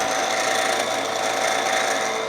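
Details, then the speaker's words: Milling a bracket for a TouchDRO scale for a Precision Matthews PM-1228 lathe, hand-cranked feed with speed increased. A steady, high singing squeal over the cut where the part is not rigidly supported. Milling chatter. "yes I know chatter is bad back off go back the way we came"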